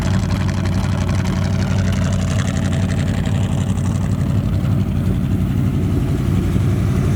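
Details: 1972 Dodge D100 with 318 V8, sitting 13 years in a junkyard, first run on starting fluid then fuel from a jug: steady, even low V8 burble at idle, no knocks, ticks or misses; smooth, healthy, normal idle.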